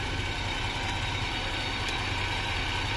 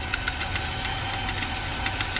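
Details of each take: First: 2018 Ford Expedition Max after cam phaser replacement and heat shield repair (broken piece fixed with lock washer), during a 38-mile test drive: steady, even idle with a low hum, no heat shield rattle, no chatter and no overheating. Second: 2018 Ford Expedition Max at startup just after cam phaser replacement: light uneven metallic ticking as a piece broken away from the exhaust heat shield rattles; fixed with a lock washer.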